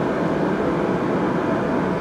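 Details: Riello RDB kerosene oil burner after new Danfoss 0.6 USG/h 60° EH nozzle at 8 bar, air screw set at 3: steady even roar without pops or surging, holding its flame; repair complete, working normally.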